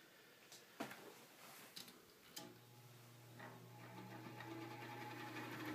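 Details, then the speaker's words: Knapp Monarch Duo-Aire hassock fan, guessed early or mid-1960s, oiled, on a Kill-A-Watt meter drawing 1.65 A on high. Clicks at switch-on, then a rough, uneven motor buzz that gets noisy as it spins up; worn thrust washers suspected from the shaft's axial play, unconfirmed. "it's a little noisy at first until it gets up to speed but you can see here there's quite a bit of it really gets noisy"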